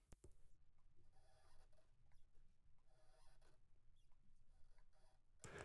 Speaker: the squeaky sound is quite hard to remove compared to a hum because there's a few different frequencies and the squeaky sound but it does still work